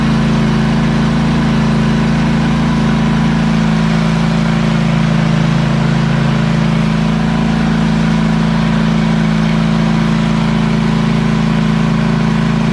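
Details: ZT200 zero-turn mower with newly installed replacement engine (same hp and rpm, different shaft diameter adapted with a sleeve) holds a smooth, steady drone with an even pulse and no misses or surging; normal healthy running.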